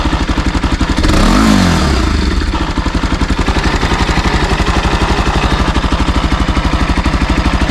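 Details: NS200 at 12,000 km: sharp metallic clatter on every firing beat, about four a second, persisting through a throttle blip; abnormal engine clatter, cause unclear.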